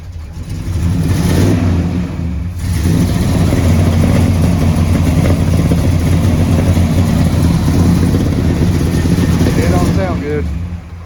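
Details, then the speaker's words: 1978 Chevy RV engine runs rough and uneven with a lumpy low beat, dipping and sagging as if about to stall, black smoke everywhere; it tries to die when put into gear, cause unclear. "all righty guys listen what the Big Kahuna is doing it doesn't sound good at all black smoke everywhere it's trying to die and it does it when you put it into gear"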